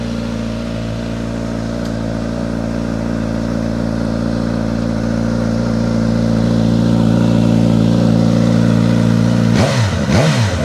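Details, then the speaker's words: 2022 Suzuki GSX-S1000 GT on dyno with Akrapovič exhaust, cold start, engine definitely not warm: smooth steady four-cylinder idle, pitch creeping slightly up as it settles, no ticks or knocks; normal cold idle. "That is a cold start on it too. The engine is definitely not warm."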